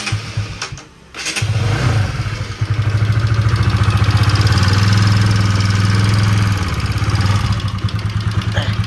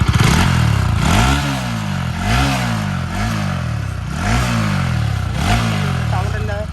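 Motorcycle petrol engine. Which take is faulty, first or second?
first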